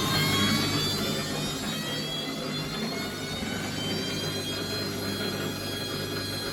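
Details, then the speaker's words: Bosch WFF1401 washing machine after motor bearing replacement (squeal persisted after drum bearings): steady smooth hum and clean whine on spin, no grinding; much quieter, back panel off. "I would say it's a lot quieter. It should do a 1200 spin, which is quite fast."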